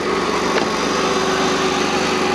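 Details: 2001 Jeep Cherokee XJ idling after fixing a crank no-start caused by a short (fuses F16, F11): steady even idle with constant hum, no misses, knocks or hunting.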